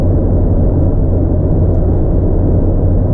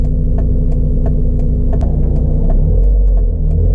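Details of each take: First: 1997 Mazda Miata, odometer 150,701 (replaced cluster, true mileage unknown), driving, recorded on GoPro Hero5. Deep, steady exhaust rumble, smooth and even with no popping or rasp: healthy exhaust note. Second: 1997 Mazda Miata while driving: engine rumble with scattered light metallic ticks and rattles from the engine bay; owner suspects a loose metal block-off plate, not confirmed.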